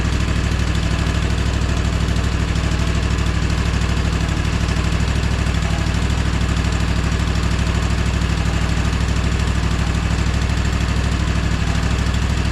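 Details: Gravely ZT HD-48 zero-turn mower, Kawasaki FR691V V-twin, just after full service with oil change, air filter and spark plugs: steady, even low thrum with regular firing, no knocks or misses, no leaks; healthy idle.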